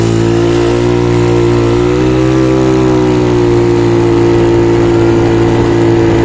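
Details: Yamaha Mio Soul carbureted 160 big-valve big-bore scooter test-run after reconditioning and tuning; steady even note rising slightly mid-clip, no knocks or rattles, quieter than before though not silent because it is built up, running well.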